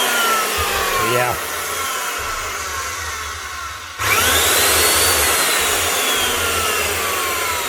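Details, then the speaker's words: Old Refina plaster mixing drill on first test run after refitting the lead: the switch works but has no variable speed, so the motor jumps straight to full speed and winds down on release; the faulty switch will be replaced. "Same story. Switch is working, but there's no variable. So we'll actually just replace the whole switch as well."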